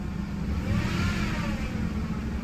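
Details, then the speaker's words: 2005 Ford F-150 Lariat 5.4L Triton V8, 215,000 miles, revving. A thin whine climbs and grows louder with engine speed, worst when very cold but now constant; tensioner, idler pulley and serpentine belt are to be replaced. "Okay, so there's the noise. It happens mostly when it's really, really cold, but now it will not go away."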